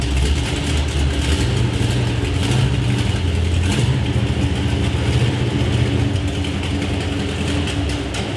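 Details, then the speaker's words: 1973 Plymouth Road Runner big-block V8 on its first test drive with exhaust fitted: rumbling under way with a fast ticking on top, not bottom end. "I started hearing like a nasty valve ticking sound whatever I knew it wasn't the bottom end because it was like a fast tick"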